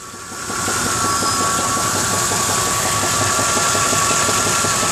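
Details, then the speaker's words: Warm V8 truck with a reportedly rebuilt engine, 10,000 km, knock began two months later: a steady light tick about four a second at idle, smoothing when revved. Oil pressure rises on throttle and drops off it. Owner suspects a front pulley, possibly bottom end. "You can hear it ticking away. It sounds like a pulley, like it's coming from the front of the engine. But I'm not sure. Could be bottom end."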